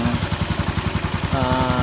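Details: Motorcycle that would not start, after a clogged carburetor was found (spark plug also found badly worn): a steady, even putter at about eleven beats a second with no misses or stumbles. A healthy single-cylinder idle.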